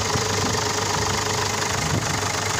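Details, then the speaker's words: Ford Ranger/Mazda BT50 WE diesel, crank-no-start, started on a jump pack after new glow plugs. Steady idle with even clatter and no misses, excess fuel running out; the engine is normal and the weak battery is suspected as the cause. "so that is just all the excess fuel that we got that was in the engine that's gonna run out"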